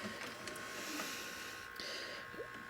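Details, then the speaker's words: 1985 Magnavox VR8530SL01 VHS VCR in rewind search: steady, strong motor whir with light mechanical clicks and a brief higher tone; the transport reaches speed without slipping, so the belts are good. "you can easily see if the belts and stuff are good. I know they're still good. See, it doesn't have any problem. If I go rewind search, nice and strong."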